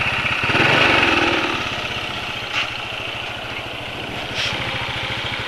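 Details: Motorcycle idling after an oil change to Ravenol TSi, made because engine noise was growing (attributed to piston-cylinder friction, feared fuel dilution): quick, even single-cylinder putter with a light mechanical top end and no rattle. Healthy idle.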